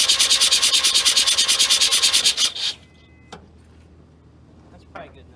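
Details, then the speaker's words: 1979 Mazda RX-7 rotary, not started in 16 years, new carburetor installed with makeshift fuel system, very wet spark plugs: even raspy cranking about three pulses a second for two seconds, turns over freely with some compression, no start. "Sounds like it might be making compression too. Or at least some. I can hear some suck."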